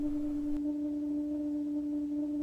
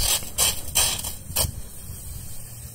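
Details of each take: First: Outdoor water spigot making a steady, pure humming tone while water runs, worse inside the house; caused by a faulty vacuum breaker, and replacing it (about eight dollars) eliminates the noise. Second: Outdoor water spigot running quietly, just a few bursts of water hiss with no humming tone; the hum it can otherwise make is eliminated by replacing the vacuum breaker.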